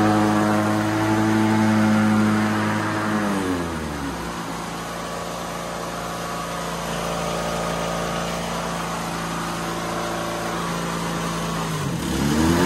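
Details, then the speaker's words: White LT1650 hydro riding mower after hard-starting repair, blades engaged and in reverse: starts right up, and the engine drops to a smooth idle and climbs back cleanly; quietest it has been; normal running. "this is the quietest quietest it has ever been and that key fired right up"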